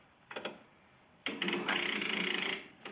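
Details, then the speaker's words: Junk riding lawn mower on choke, neutral, blades disengaged, starter just reinstalled, battery sagged to about 10.5 volts; slow labored cranking about four strokes a second that dies after a second; slow cranking from weak battery. "This thing's already died back to like 10.5 volts, so I gotta jump back on it. I'm gonna turn it on and see if this thing cranks over."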